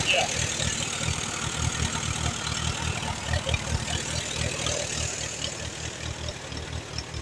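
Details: 1938 Allis Chalmers B with Waukesha gasoline engine, recently bought: uneven, lumpy idle with irregular firing and a hunting beat. It only keeps running on choke, plugs are a bit rich, and the carburetor needs rebuilding.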